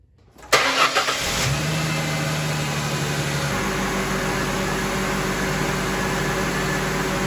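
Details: Ford Mustang after replacing the AC relay in the CCRM module and recharging refrigerant: engine catches and settles to a steady idle with the AC compressor humming faintly and evenly underneath, no squeal or rattle, no apparent leaks.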